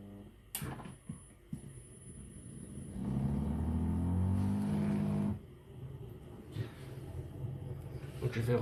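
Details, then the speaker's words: Siemens dishwasher with error E25, drain pump tested before reassembly for leaks: low steady pump hum for a couple of seconds with no sound of water coming in; the supply appears cut off somewhere, and the tap later seemed faulty. "avant remonter on allume on appu sur départ donc là le broui qu'on entend c'est la pompe ok donc là je crois que l'eau il est l'au il doit être coupé quelque part"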